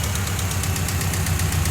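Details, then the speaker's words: Subaru engine in Ford XA car on dyno after sitting, never overheated, no oil loss or apparent head gasket failure: heavy rhythmic knocking over a rough lumpy idle, steady throughout; broken engine suspected, unconfirmed. "Pretty sure that's just broken engine. Sounds like it's in there."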